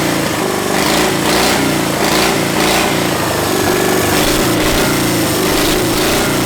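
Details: 700cc twin-cylinder military standard engine built 1987, long-stored and possibly never run, on repeat start: loud, steady chug at an even pace, no knocks or misses; solid healthy idle.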